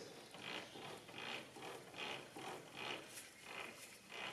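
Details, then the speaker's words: Volvo Amazon/PV544/P1800 Spicer rear axle, wheel turned slowly: rough rhythmic ratchet-like grind, about one burst a second, from a worn rear wheel bearing before replacement. "So this one's a noisy wheel bearing."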